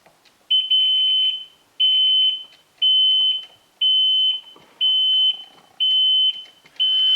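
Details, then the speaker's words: 2013 Kawasaki STX-15F jet ski after fuel tank flush and replacement of a seized fuel pump, first start attempt: seven steady high beeps about one per second and no cranking, because the lanyard wristband safety key isn't fitted. "We have no crankage. Oh yeah, duh, I know why we don't have crankage. We need the wristband."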